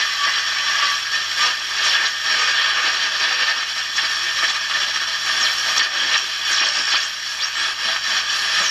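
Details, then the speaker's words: Hallicrafters 5R230 radio, supposedly 1953, on shortwave with only a finger as antenna, 40 meter ham band: steady hiss with whistles sweeping in and out as it tunes; pulling in shortwave nicely. "i flipped it over to shortwave now the only thing i'm using for an antenna is my finger here and i have a totally separate transmitter for recording that's the 40 meter ham band there's that's amazing absolutely amazing"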